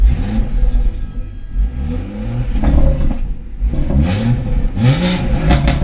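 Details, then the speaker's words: Car brought in for sounding like a tractor; engine revs up and down with a loose metallic clatter on each rise, not from the front, definitely from the back; rattle from rear. "That's not the front. So, that is potentially a little bit more of a a better better sign. Yeah, definitely something at the back."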